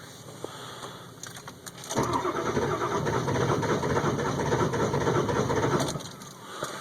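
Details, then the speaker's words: 2002 Ford F350 7.3 Powerstroke diesel, cold start at about 34°F, glow plugs warmed 2–3 minutes with new glow plug relays and a battery believed strong: the starter cranks steadily, about three beats a second, without catching. This hard start happens daily; blow-by smoke follows. "so again it's just not wanting to start this is everyday stuff"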